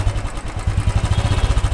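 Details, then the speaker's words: New Royal Enfield Classic 350, carburetted, delivery check at idle: low even single-cylinder thump picking up briefly on a light blip with regular beat; engine sounds healthy. "Now, the main thing is hear the engine noise. This is the basic sound of the engine. Because it's carbureted, the engine speed is maintained manually."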